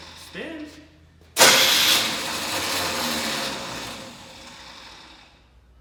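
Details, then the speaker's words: 1984 Chevy Blazer square body with a Chevy small block: on a start attempt the starter whirs to a high free-spinning whine and winds down without turning the engine. The bendix is suspected of not kicking out. "sounds like the bendix isn't kicking out"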